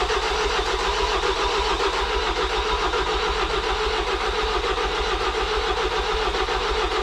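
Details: Ford Transit 2.0 EcoBlue diesel after a wet timing belt failure, jump-boosted because it cranked slowly: steady starter cranking at about two beats a second that never catches or fires; it won't start.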